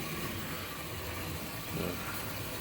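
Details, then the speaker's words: HST model locomotive with CD motor and DCC conversion slowed to realistic scale speed: soft, steady motor whir with a light mechanical rattle, no surging or binding; it runs alright. "More realistic kind of scale speed. It seems to go alright. So I'm quite pleased with it."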